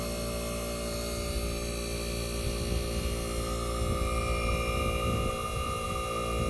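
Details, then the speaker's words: 1965 Fedders Weatherwheel air conditioner, Tecumseh AJM compressor running on high cool with the fan cut: low, even hum at constant pitch, no knocking or rattle; normal compressor hum. "This is the Tecumseh AJM compressor running. So yes, guys, you might tell me this sounds like the Chrysler, but you are right."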